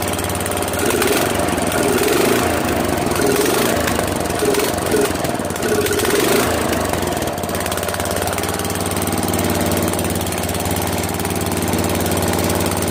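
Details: Mower/tractor after swap from a 15 hp OHV to a 12.5 hp flathead single-cylinder engine, started with choke and throttle. It thumps along at a fast idle, fairly steady with slight unevenness while being tuned. Good spark and pressure, runs fine.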